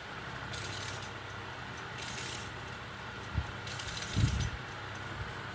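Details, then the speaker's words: Tufão household fan running: thin high squeak like a frightened mouse comes and goes over steady low hum; dry motor bearings that need lubricating. "Parece um barulho de rato quando ele tá com medo, gurizada. Barulho fininho, ó."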